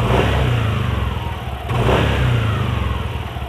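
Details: Yamaha NMAX after pressing the cam chain tensioner fully in: engine revs up and down smoothly with no rattle or harsh note at top throttle. Earlier clatter gone; normal engine running.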